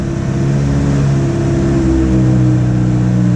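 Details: 2006 Ford Transit VH 2.3 L petrol with engine light, limited to 20 km/h: revs climb with a muffled, choked drone and flat lumpy note, gutless, fuel trims rich; low power caused by a blocked exhaust, not fuel.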